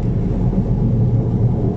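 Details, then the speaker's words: Chery QQ, worn right front wheel bearing: steady low droning hum under road noise while driving, heard during driving and turns, especially at 60 km/h and above; bearing to be replaced. "На моем автомобиле во время движения и поворотов гудит правое переднее колесо. Сейчас слышно гул в правом колесе, особенно когда"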